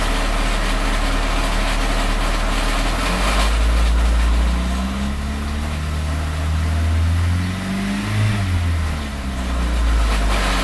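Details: Engine revved between 1k and 3k rpm: rough knocking grind underneath that thins as revs climb, almost gone above about 2k rpm; source unknown.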